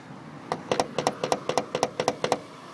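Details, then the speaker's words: Megan Racing coilover with wheel worked up and down: sharp metallic double clunks about four times a second from a loose 17mm nut under the damper adjustment knob; fix is tightening it, also audible in cabin. "basically the clunking sound is coming from The Damp adjustment knob which there is a 17 mimer nut right under and uh basically that's what you have to tie up so you don't experience that noise"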